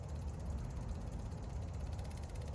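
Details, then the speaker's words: Electric fuel pump on a 2003 Cummins 5.9 common rail diesel (being swapped into an 87 Chevy K30), wired in as the lift pump: steady low buzzing hum with even pulsing, no surging, fuel seen flowing; normal fuel pump operation. "This is my electric fuel pump. I'm gonna hook it in. You can hear it come on. So it's basically acting as the lift pump."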